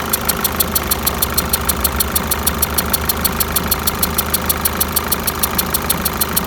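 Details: 2008 Peugeot 207 1.6 HDi diesel at idle with sharp, even ticks about 77 per minute from the top of the engine, cause unknown.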